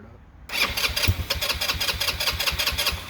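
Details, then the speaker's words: Cheap Chinese ATV, first start attempt from a portable gas tank: starter cranks in a fast steady rhythm, about five pulses a second, nearly firing; owner thinks the carburetor will need work. "I might have to give it gas. There it is. I think the carburetor is probably gonna have to be worked on, but we got, it's alive."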